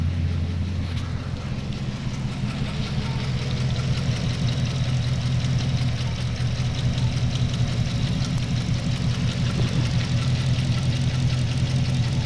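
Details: Holden VE SSV V8 (check-engine light and misfire on the freeway, smoky): lumpy idle with uneven beat and light tick over low rumble; bent pushrod on cylinder 7 found under rocker cover.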